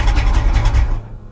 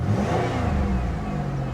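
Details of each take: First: 1980s Pontiac Firebird with manual transmission, abandoned at auction, in neutral: engine keeps chugging low and heavy after the ignition is off and the key removed, then dies once stalled with the clutch. Engine run-on; low oil pressure suspected. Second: 1980s Pontiac Firebird with 241,000 miles, abandoned at auction, transmission suspected bad: engine revs up and settles repeatedly, smooth and even with no knock or miss; tired old motor that runs decently.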